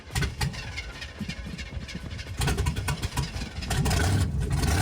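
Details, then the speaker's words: Musty old crew-cab truck V8 with hydro boost, found in a junkyard, fire-up: loud, raw, uneven bark with deep pulses and no muffling, because it runs on open headers with no exhaust. "oh my God oh open headers I didn't look at that yeah it's really just open headers"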